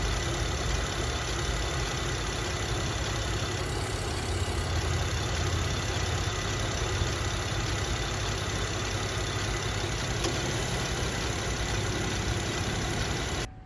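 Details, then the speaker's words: Buick Enclave after the leaking AC hose was found, engine idling: the load shifts slightly as the AC compressor cycles on and off, sounding normal; the AC then runs ice cold. "Alright guys, so there's our AC compressor. If you can see, it's turning on and off"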